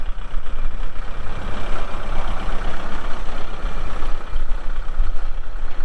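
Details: 2023 Kubota M62 tractor loader backhoe diesel, 227 hours, hydro transmission: steady even low idle rumble with no knocks or misses; engine healthy.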